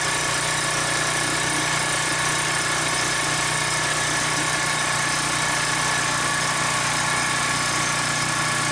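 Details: Troy-Bilt pressure washer with 875/887 series ReadyStart engine, started slightly flooded after carburetor cleaner: constant, even engine drone with no misses, surging or knocking; running steadily and healthy.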